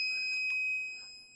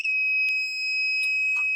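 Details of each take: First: Rotax 185 ignition setup, points timing set with a dial indicator at about 0.146–0.147 in, buzz box connected: a steady, high-pitched buzz holds for most of a second then fades, indicating correct ignition timing. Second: Rotax 185 ignition timing check with a buzz box and lid off: high steady buzzing with a few sharp clicks, then the note drops and quietens at the instant the points open and the plug fires.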